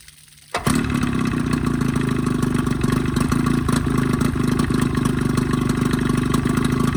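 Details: 20hp Evinrude outboard modified to 25hp, after full service (head cleaned, new thermostat, gaskets, primer seals, plug wires, water pump kit, gear oil): small two-stroke runs with a ragged, uneven beat and little stumbles; lean coughing and spitting, cause not confirmed.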